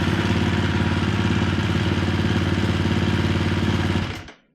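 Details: KTM 350 four-stroke dirt bike, just after replacing a failed pulser coil (about 100 ohms) to cure no spark: crisp, even single-cylinder thumping at a steady fast idle for about four seconds. It starts and runs cleanly.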